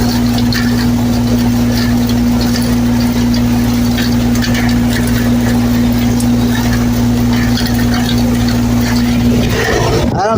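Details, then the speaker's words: HVAC system calling for cool: outdoor fans run with steady hum in rain but no compressor drone; compressor not starting due to loose control wires, possibly a five-minute delay after power loss suspected. "Well, we got the the fans out here running. It thinks it's running, but it ain't running. All right. It ain't running."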